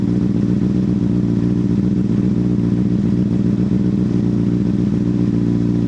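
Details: 2005 Honda CBR600RR after dead battery recharged and refitted, warming up after sitting: steady, even four-cylinder idle with smooth low beat, no knocks or misses; normal warm-up idle.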